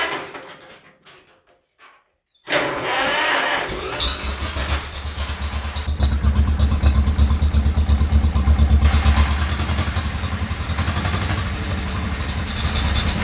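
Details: 1948 John Deere M tractor just fitted with new stainless muffler, hood off, in neutral, fuel not turned on: after a few quiet seconds engine catches and settles into steady even putt-putt idle, no knocks; normal idle.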